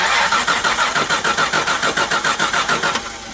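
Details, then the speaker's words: Jaguar XJ6 Series 3, 259,000 km, bought as parts car, new battery just fitted: starter turns engine evenly for about three seconds, about three compression pulses a second, cylinders even, never catches; crank no-start, owner suspects a fuel problem. "We just put a battery in it. And it cranks really nicely. Let's wait I'll get out here and have a look. It's not starting."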